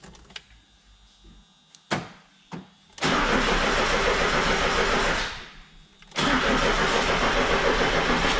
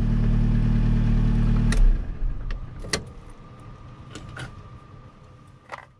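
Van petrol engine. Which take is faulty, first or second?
first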